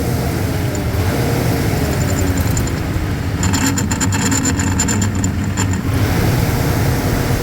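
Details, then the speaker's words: Replacement belt-driven vent hood fan motor, belt slack taken up by hand to check tension, speed unchanged so belt tension judged right: steady even low hum, no speed change or belt slap; normal running. "I think that's about right cuz it Doesn't speed up any if I take the if I tighten it up"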